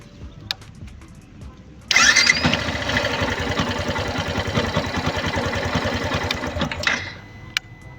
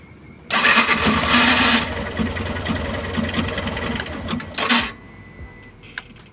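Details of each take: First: Yamaha Fazer 150 after new starter motor installed: brief clean crank catches at once into steady single-cylinder idle with no grinding or whirring; the earlier strange noise was the faulty starter motor. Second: Yamaha Fazer 150 motorcycle: harsh rough grinding rattle while cranking, initially thought to be engine; cause a faulty starter motor, repair attempt failed, replaced with new starter.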